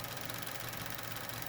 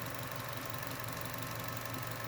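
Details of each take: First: Chevy Cruze 1.4, about 90,000 miles, warm idle, recorded near the old evap purge solenoid: fast light ticking like a chain rattle that starts once coolant exceeds 176°F; faulty purge solenoid clicking. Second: Chevy Cruze 1.4 (same engine as Sonic): after reconnecting the evap purge solenoid hose, steady even idle hum with no plastic ticking or rattle; the purge solenoid rattle is gone. Normal idle.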